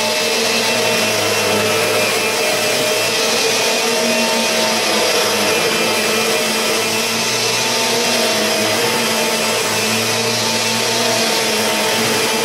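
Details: Kirby G4 vacuum needing motor bearings changed, vacuuming a mat in comparison with a near-new Sentria II: loud, steady motor whine with a rough, gritty edge holding constant through the run; worn motor bearings.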